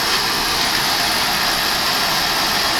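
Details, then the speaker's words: Oil-fired boiler test-started after changing the inline oil filter and screens and cleaning the nozzle: steady, even roar of fan and flame with no pulsing, puffing or rumble; burner firing cleanly, normal operation. "wait to hear the sound of water that fire she's work and as you can hear she's working the fires very good"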